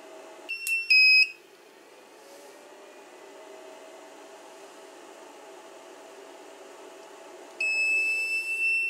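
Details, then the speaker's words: 2000 W power inverter after repair, run from a car battery with a test light bulb: a clear high-pitched beep chirps a few times, then holds as a steady tone, the inverter's low input voltage warning. "Um this inverted has a feature that if it has low power it beeps."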